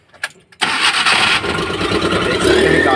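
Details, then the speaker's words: Maruti Omni that cranked but wouldn't start, after refitting spark plug ignition cables: a few seconds of quiet, then it starts on the first crank and settles into a steady even idle with no misses. "Start हो चुका है एक self में गाड़ी start है"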